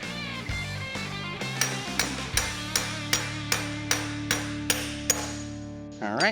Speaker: and there you hear that? Ding means done. So, we've got the race installed.